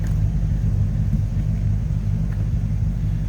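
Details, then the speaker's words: 1961 Chevrolet Bel Air with 283 V8, Turbo 350 automatic, no wild cam or special exhaust: smooth, quiet, even low rumbling idle with no tapping or exhaust leak; healthy stock-sounding engine. "crazy a square exhaust or a wild cam or anything in the engine just a nice sounding car"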